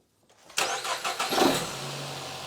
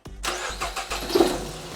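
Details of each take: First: Nissan X-Trail T31 with cylinder 3 misfire (P0303) from a coil arcing high voltage to the head, after insulating the coil with tape: quick crank and catch, short flare, then quiet even idle with no stumble; misfire gone. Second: Nissan X-Trail T31, manual, code P0303, spark plugs already replaced: with the cylinder 3 ignition coil disconnected, the lumpy, stumbling idle sounds about the same. This shows cylinder 3 is already dead, with a failed coil suspected.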